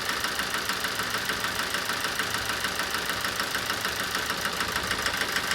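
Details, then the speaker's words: 2007 Toyota Avensis D4-D diesel at idle during a cylinder fuel-cut test: a sharp, even knock about three times a second. Cutting cylinder 4 smooths the engine, so the knock or bang is suspected in cylinder 4 or its injector. "that sounded better when the injectors cut off we've got a bang in there"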